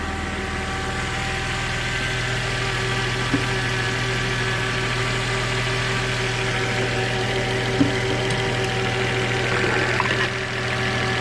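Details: Volvo XC90 3.2 idling evenly just after a cold start, with a steady, high whine sitting on top of the engine note.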